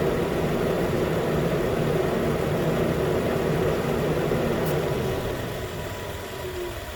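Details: 2013 Nissan Pathfinder at 265k miles, idling after AC compressor clutch and serpentine belt replacement, about 80 degrees: new clutch clicks in, even low idle hum with regular beat, no belt or clutch squeal or chatter; normal idle.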